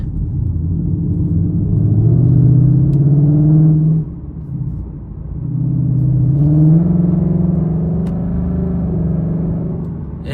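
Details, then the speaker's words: 2019 Mustang GT V8, Corsa Xtreme active exhaust after warranty fix of flapping valves, track mode, throttle blips: deep, loud rumble swelling and easing, louder than sport mode even at low rpm; valves open and working. "definitely louder I think sport mode opens up a lot more when you give it more gas but the track mode it in even lower RPMs"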